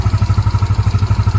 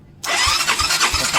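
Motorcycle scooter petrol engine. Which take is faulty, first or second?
second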